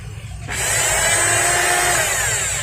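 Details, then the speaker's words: Rotary hammer drill in for service, slipping and unable to drill, before repair: the motor spins to a steady high whine with a rubbing hiss but no drilling bite. The drive slips and the drill head doesn't rotate. "But the drill head doesn't rotate, if this is for sleeping, the head won't turn, but it can drill,"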